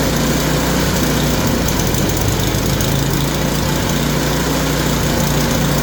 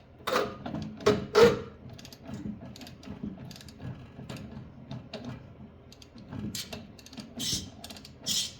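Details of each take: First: Yard Machine snowblower small single-cylinder engine, bought locked up, flywheel teeth suspected ground down so converted to pull start, after adjustment: steady, even running with no misses, surging or knocking; sounds healthy. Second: Yard Machine snowblower turned slowly by hand: irregular clicks and gritty creaks from inside the gearbox in both directions; something is catching inside, cause not yet found.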